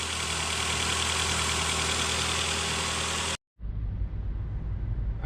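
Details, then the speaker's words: Nissan Altima after catalytic converter replacement for P0420 code, new gasket fitted; steady, even, quiet idle with no puffing or rumbling leak, burning off penetrating spray; exhaust sealed, normal idle. "all right let's see if she's loud rumbling oo nice and quiet that's a good sign burning off all the PB blast and that's that new uh gasket too probably on"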